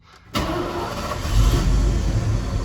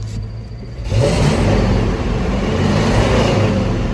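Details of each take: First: 1981 Ford F150 4x4 with EFI swapped onto its engine: catches the instant it cranks and settles into a steady, even low rumble; a healthy quick start, though the owner notes a slight surge he thinks is timing, plus a belt issue. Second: 1981 Ford F150 4x4 four-speed with EFI on a 1981 block, belt issue: revs surge in slow waves every couple of seconds with an uneven stumbling note; slight misfire/skip, improved from a much bigger one.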